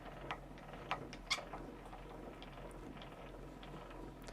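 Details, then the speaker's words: IKEA Trotten sit-stand desk, about a year old, cranked clockwise down (110 cranks lowest to highest); soft, irregular ticking two or three a second from the crank mechanism, normal light noise, no squeak. "I'm going to crank it back down now. So it's clockwise to crank it back down. And I mentioned before, it's 110 cranks from lowest to highest position. It does make a little bit of a noise."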